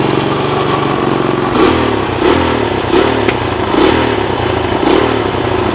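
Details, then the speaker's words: 1983 Honda 200X, 5-speed manual, engine smokes a little, needs exhaust header; fast steady single-cylinder patter with slight swells, idle deliberately turned up; good compression on kickstart, starts easily. "I have the idle turned up a little bit, obviously. When I kicked it over, it has good compression."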